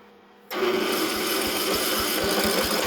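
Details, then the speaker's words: Briggs & Stratton riding mower engine ("Nicky" carburetor, no fuel solenoid, stale varnished fuel) cranking slowly with a harsh whirring starter, about four lazy pulses a second, no firing; battery too weak to crank properly. "No battery again. Anyway, this is another one that's going to run."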